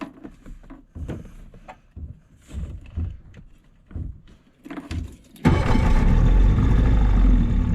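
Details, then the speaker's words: Outboard on a $700 auction boat, in reverse on the lake: after a few clunks it roars to full throttle, ragged and spitting like a misfire; the owner suspects it needs carb work or time to burn deposits off. "That's full throttle. I don't know, guys. Might just need some time to burn some crap off, but definitely need some carb work."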